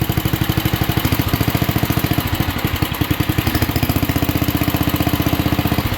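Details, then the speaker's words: 1967 Unico 7hp tractor, first cut in 27 years after carb rebuild: steady single-cylinder thump under mowing load, faint (possibly straight-cut) gearbox whine, blades quiet; runs healthy, slight smoke. "I gotta say I am super impressed this thing is super quiet mowing I uh just you can't hear the blades you hear the gears more in the Box than anything and they're probably straight cut"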